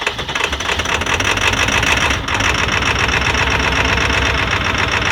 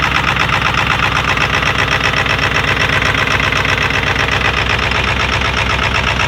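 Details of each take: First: 20-year-old Ford 7.3L Powerstroke diesel started around -30 °F after a week at -40 to -50 °F, plugged in 3.5 hours, idling low with clatter and fast sharp ticking from an exhaust leak. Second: 20-year-old Ford 7.3L Powerstroke diesel started after a week at -40 to -50 F, plugged in about 3.5 hours; loud low, even clatter at cold idle with an exhaust leak, normal, idle rising once warm.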